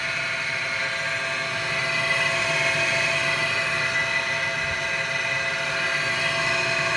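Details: Takagi TK-Jr water heater: loud, steady high whirr with a shrill edge, fan running about 45 seconds after hot water stops (used to shut off quickly); draining water from housing didn't help; failing blower fan, fixed by replacing fan.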